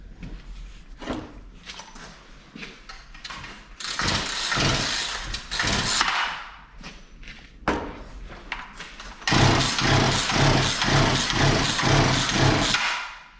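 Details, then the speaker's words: Poulan Pro P3416 34cc 16-inch chainsaw left in an abandoned building, new Champion plug, spark confirmed, lots of fuel coming out: repeated pull-start bursts with a ragged chuff, never catches; cranks but won't start, possibly flooded. "so we got spark we've got compression i don't know how much we've got a lot of fuel coming out so i don't know if it's just so flooded"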